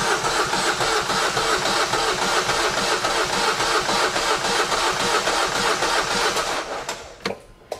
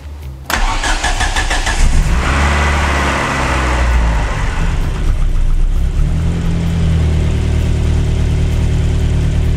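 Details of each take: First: Engine cranked to build oil pressure: starter spins at a steady three and a half beats a second but never fires, because the fuel primer bulb was not pumped. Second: Ford Focus RS restarted, fuel pump primed first: short crank, catches at once, settles into steady even idle with low throb; slight smoke, starts and runs healthy.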